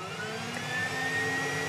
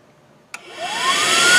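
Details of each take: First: Dodge Avenger with check-engine light and code P2441, AIR pump commanded on with a scan tool. A steady electric whine rising slightly in pitch over the engine hum, with no change in airflow voltage; the secondary air switch valve is stuck closed. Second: Dodge Avenger with code P2441 (AIR pump switch valve stuck closed), air pump commanded on via scan tool. A click, then a whirring whine climbs fast and settles to a steady high pitch; the secondary air pump runs normally.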